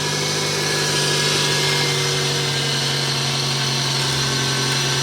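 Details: Toyota RAV4 with a no-crank, no-start fault, after replacing the starter and checking the wiring: the engine now starts and idles smoothly with a steady, even hum and no misses or knocks; normal idle.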